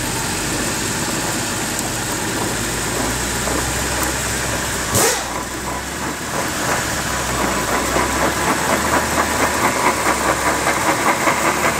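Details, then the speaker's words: 2012/2013 BMW X3 F25 on a lift, throttle applied. Rough grinding with a pulsing clunk about twice a second from the front axle and front differential. The front differential failed, apparently from fluid leaking out. "so as we can hear the noise is coming from the front of the vehicle at the front axle which is powering the front wheels those actual shafts that are spinning at the front connected to the front differential where our noise is coming from"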